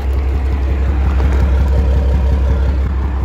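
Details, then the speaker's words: Dodge 12-valve Cummins diesel hotshot truck at idle during restoration, after power steering fluid ran low: heavy clattery idle with a steady low thump about three times a second; source of the thumping unknown. "I hear a thumping though it's weird I don't know"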